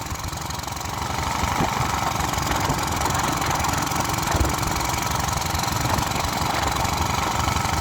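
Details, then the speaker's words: Small pressure washer engine being deliberately fed a can of the wrong fuel into its tank: a loud, uneven loping beat at about four per second with a coarse, diesel-like clatter; rough running on contaminated fuel. "has a lope. Let's watch it roll coal. I mean, it might as well be a diesel. It sounds like a diesel."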